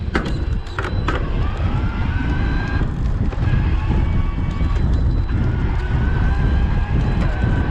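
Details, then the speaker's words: BULLS E-CORE EVO AM Di2 27.5+ e-bike, Shimano STePs E8000 mid-drive in Boost assist on concrete, pedaling fast; thin whine rising with pedaling, cutting in and out, fading at speed; normal healthy assist. "Oh working pretty well there it definitely fades out the faster you pedal but it does give you pretty good high-speed pedal support"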